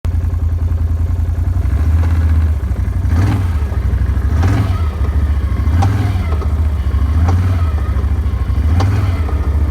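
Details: Brand new Can-Am with a sharp click about every one and a half seconds over a deep, steady engine rumble; the cause of the clicking is unknown.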